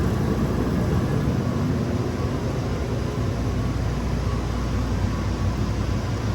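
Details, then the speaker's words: Circulator pump on a Raypak 1753A modulating vertical boiler starting after the water flow switch was replaced. An even, unchanging low drone with no knocks or rattles while the flow switch begins moving; the pump runs normally. "All right. Pump just kicked on. Let's check our flow."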